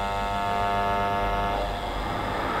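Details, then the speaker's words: AC fan on an ITR electronic variable speed controller, speed raised: smooth, even whir as the low-speed motor hum and buzz disappear; normal fan motor running. "When I increase the speed, the humming and buzzing is gone."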